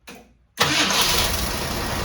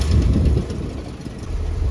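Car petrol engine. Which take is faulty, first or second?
second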